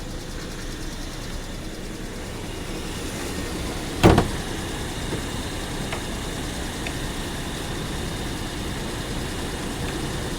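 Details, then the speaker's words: 2007 VW Passat, hail-damaged salvage car, heard under the hood. Earlier it was suspected it might be trying to misfire. Quiet, even idle with one brief click and no stumble or vibration. Sounds fine for now. "it seems to be running just fine and the engine does not seem to be vibrating"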